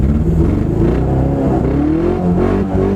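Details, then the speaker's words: 1992 Honda Civic DX, manual transmission, under acceleration while racing: revs climb unevenly with a lumpy, stumbling beat and little pull; misfire, running on three cylinders from a popped-off spark plug wire. "A quick post-race inspection revealed that my misfire was due to a simple popped-off spark plug wire."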